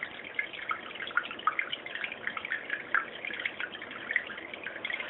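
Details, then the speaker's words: Marineland Penguin BioWheel 200 aquarium filter before noise modification: constant irregular splashing of water falling from the filter outflow into the trough, with a slight hum from the unit; owner finds it too loud. "basically they're two noises here here's the noise of the splashing of the water coming out of the filter and the trough and there's also a slight hum from the unit itself"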